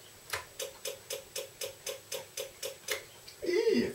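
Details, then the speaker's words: Yamaha Virago XV535 external electric fuel pump under a flow test. Steady dry ticking about four times a second but no fuel moved; its make/break contact points appear to be sticking together with heat. Pump replacement planned. "yeah you can hear that ticking away clearly it's really not doing its thing at all obviously it's got a little bit Squatch there with at the point doing themselves together with the heat"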